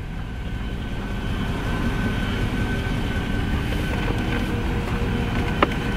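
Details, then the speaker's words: Mercedes-Benz S550 W221 after blower motor and resistor replacement, on speed 7: even, steady fan whoosh and constant hum with no rattles or wobble, air from vents; normal blower operation. "i can feel it come out the vents i can feel it come out events now and you can hear it that is on"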